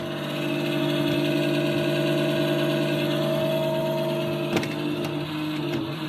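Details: NewAir AWC-270E wine cooler fan whining: steady low hum with constant whine from the worn 80mm 12V 0.08A cooling fan (TD8020LS), fixed by swapping in the replacement fan.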